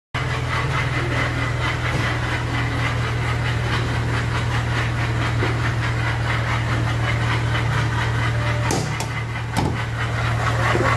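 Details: Car engine at idle: uneven fast knocking about four a second plus sharp clanks; attributed to a loose, failing water pump, source not confirmed in the sound.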